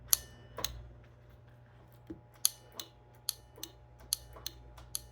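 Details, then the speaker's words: Data East Star Wars pinball playfield motor tested in diagnostics: irregular crisp relay ticks over a faint hum with no motor whirr. The relay works but the motor doesn't run; the 28 V AC supply is to be checked next. "so the relay is working the motor is not working"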